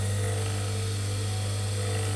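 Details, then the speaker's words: Capacitor start induction motor, long unused, bench test: smooth, even low hum at constant pitch with no knocks or rubbing; slight vibration felt on table but working nicely, normal running. "either blow the motor up or cut the breaker so far in the head need do that which is bit of luck but yeah that's working nicely"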